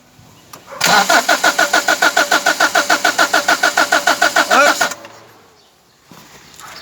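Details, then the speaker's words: Toyota small body car that won't start; starter cranks evenly about three and a half turns a second but never catches, spark present at high tension wire, no fuel reaching carburetor; next step adding fuel and choking. "yan yan walang walang gasolinang walang gasolina lumalabas dito subukin natin na lagyan ng gasolina to tapos choke natin guys"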